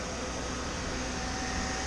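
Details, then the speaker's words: Chevy G20 van with new electric fan replacing stock fan, fused relay and temperature switch, engine warm: steady whoosh over low idle, no rattle or scrape; fan cuts in near 200°F and off near 190°F; running normally. "it's coming on when the engine itself gets up around you know 200 and then it shut off when the engine went back down around 190 it's absolutely perfect"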